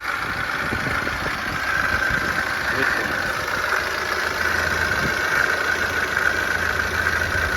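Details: BMW N47 diesel idling with a steady raspy whirr and a faint irregular rattle from the front of the engine, from a failing coolant pump, checked by removing the belt and rotating the pump, then replaced.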